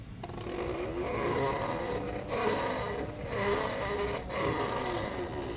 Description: Very noisy, clearly lots of weaknesses in the 3D printed PLA and some tolerance issues (it's the first prototype, at least it's working)...